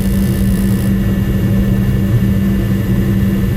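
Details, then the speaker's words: Lennox commercial rooftop unit after faulty gas valve replaced: steady low roar with even hum, no popping or flutter; burner lit cleanly, flames look good, gas pressure to be checked against manufacturer spec. "I mean Flames look good but you always want to double check your gas pressure"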